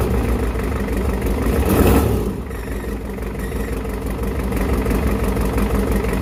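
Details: 1993 Ford 7.3 IDI turbo diesel test-run on a stand before swapping into another truck, low on oil but seeming to have oil pressure: a short rev blip, then a steady, even idle with no knocking or stumbling; normal idle.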